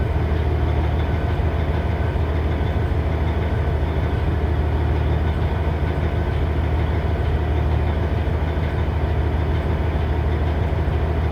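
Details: 2006 Cummins ISX CM870 diesel: a deep, steady idle with a slightly uneven, loping beat under the rumble. Rough idle.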